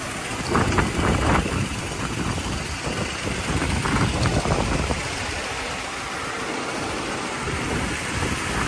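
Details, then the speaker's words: 1985 Mercedes 500SEC Euro spec idling, needed jump start despite newer battery: lumpy irregular loping idle with shaking rattle; rough running, suspected misfire, owner hopes spark plugs are the cause. "all right so you have this going on it's a little bit of shaking and rattling so that's uh something that needs attention spark plugs likely hopefully hopefully that's all it is"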